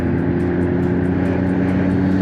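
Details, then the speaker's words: BMW M240i B58 with upgraded turbo and port injection, on first test drive after fitting 33% larger Nostrum injectors. Steady drone with rpm climbing smoothly and no stumbles. Brief stutters when reversing out, thought to be adaptations relearning; normal running. "RPMs Are Climbing super smooth how's it feel good good feels normal"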